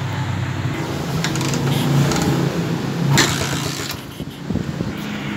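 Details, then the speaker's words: TMX155 single after a top overhaul with a 54 oversize bore, smoke and hard starting fixed: low-speed idle with a light, uneven clatter over the thump, blamed on worn cam followers and pushrods; top-end noise. "Okay guys, pero yung ingay na konting naririnig natin dito, ayun ay may tama na po yung kanyang cam follower at yung kanyang mga push"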